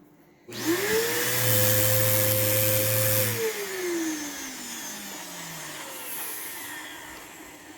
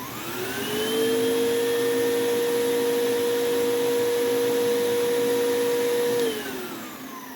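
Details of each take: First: Vacuum possibly running on low with a burning smell: the motor climbs to a high, strained whine, holds, then winds down smoothly; airflow is choked by a clogged hose. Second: Vacuum near-identical to a Sebo G1, run briefly off carpet because of a filter problem: the soft-start motor eases up to speed over about a second, holds a smooth, quiet, steady whine, then winds down cleanly; it works beautifully.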